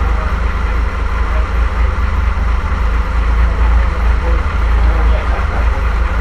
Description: The first start of the engine for the Avions Voisin C11 that is currently being restored in our workshop. This is a 1927, 2.3 litre, 6 cylinder, Sleeve valve engine.